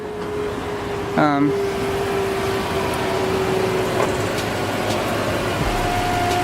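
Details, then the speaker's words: Lexus LX 470 after switching power steering fluid to full synthetic: steady mid-pitched whine over the running engine, then a higher tone joins; whine from the power steering pump, which owner expects must be replaced. "now if you hear that whine that whining noise"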